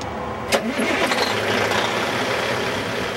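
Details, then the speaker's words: 2004 Peterbilt 387 semi with a 475 hp single-turbo C15 Caterpillar diesel, recorded under the hood: a short crank, then it fires at once and holds a steady, even idle with no stumbling. Normal clean start. "you can hear, it's starting right up."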